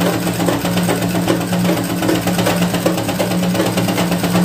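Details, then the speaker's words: Sewing machine after an adjustment to cure a tapping knock: steady, even stitching rhythm with a smooth motor hum and no tapping left; the machine runs cleanly. "तरीके से जो इसकी जो तब तक वाली जो आवाज थी वह निकल चुकी है"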